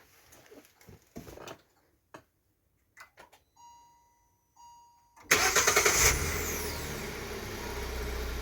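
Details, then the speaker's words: 2018 Hyundai Solaris started remotely by an installed Prizrak GSM alarm with autostart while armed, doors locked: a few quiet clicks, a short crank, then it catches at once into a smooth, even idle. Normal start. "Двигатель запустился."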